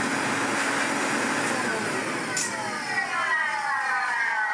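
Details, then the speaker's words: 1970s Hoover 427 vacuum cleaner after full refurbishment: motor whine falling in pitch on wind-down with a rough, uneven rumble, even though the motor was serviced. Cause unknown; such noise is reportedly common on 427s. "Where things go a little bit downhill with it, that wind down isn't brilliant, and I did the motor the same way as other motors, and it's still like that."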